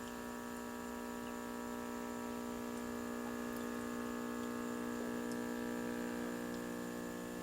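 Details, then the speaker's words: 1940 Zenith portable 6D510 tube radio on a series string with voltage brought up to 65 V: steady low hum of even tones with no program audio, showing the audio section works; the hum suggests tired filter capacitors, suspected, not confirmed. "bring voltage up to 65 volts I'm hearing something happening I'm hearing lots of hum of course"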